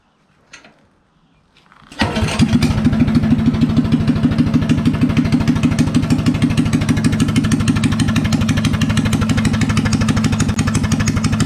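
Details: Coleman BT200X minibike single, previously skipping, stalling and backfiring with no start, now fitted with a new E3 spark plug: a recoil pull, then it fires and settles into a quick, even putter with no popping or misfires; runs healthy.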